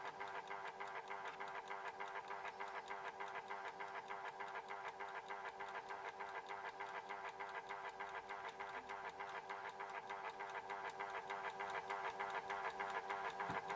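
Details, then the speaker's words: Horstmann VA Mk9 SRS2 time switch self-winding its spring reserve: steady fast escapement tick about three per second over soft synchronous-motor whirr; normal. "So as you can hear there, it was ticking a little bit. Okay, the synchro motor did wind that up a little bit, and got it ticking ever so slightly."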